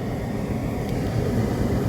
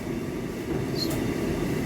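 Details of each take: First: Hotpoint dryer after repairing broken main drum shaft with three screws: even low drum rumble, no knocking, scraping or squeal; normal drum operation. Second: Hotpoint/Ariston dryer at startup: small, low steady rumble with rough uneven texture as the drum turns; it becomes a loud friction noise after 10–15 minutes of running. Cause found: broken main drum shaft, repaired without a new drum.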